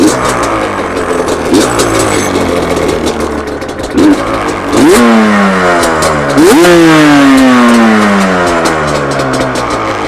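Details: 2005 Yamaha Banshee two-stroke twin after carb syncing with a flow meter, reassembled and kick-started on a cold evening: crisp throttle blips with revs climbing and dropping cleanly, no stumble or misfire; evenly matched and healthy, normal revving.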